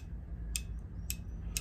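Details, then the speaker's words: Heating zone valve with cover off, 24 V motor turning the gear that pushes a brass lever closed: faint sharp ticks about every half second over a low hum; zone valve actuator operating normally. "the motor gets 24 volts it turns pushes that that bolt that brass little lever on the gear and as soon as it's fully energized it pushes that closed right closing the circuit and closing TT that's how his own valve works"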